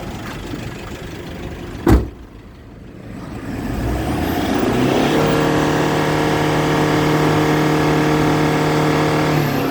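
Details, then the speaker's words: 2012 Toyota Hilux Vigo Champ Prerunner 2.5E, 2.5 VN turbo diesel (144 hp), about 120,000 km: starts easily, then after one clack revs up and holds a smooth, steady drone with no knocks or misses. Normal, healthy engine. "ฟังเสียงเครื่องนิ่มๆเลยนะครับผมไมค์น้อยนะครับ"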